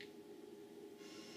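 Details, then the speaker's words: Humax Freesat box through Triax Tri-Link RF modulator (absent with Maximum RF-3000); low steady buzz with hiss swelling in treble, the box's high-frequency output noise passed by the modulator: RF modulator audio interference. "You get all this interference. You don't get it on the Maximum but you do get it on the Triax."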